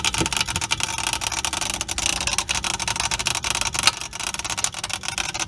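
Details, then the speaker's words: Frigidaire refrigerator with a warm fresh-food side and melted freezer ice: the damper motor gear pops with rapid irregular crackling clicks over a faint hiss, failing to open the damper that lets cold air in. "this right here is what's popping and not allowing that to open up so that's why the refrigerator is not keeping cold"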